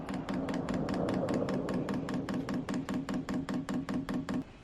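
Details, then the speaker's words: Hcalory 5–8 kW 12V diesel air heater on first setup, manually priming the fuel line: sharp, even ticks about two and a half per second, steady then stopping; the dosing pump priming normally. "And the pump fired up."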